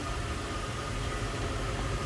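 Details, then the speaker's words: 2004 Ford Thunderbird roadster, low-mileage, 3.9 liter dual overhead cam V8 with automatic transmission, heard with the hood open: steady, even low rumble with a light hiss on top, no knocks, misses or surging; normal idle. "In 3.9 liter dual overhead cam V8. Runs nice and smooth, sounds good, looks good underneath the hood."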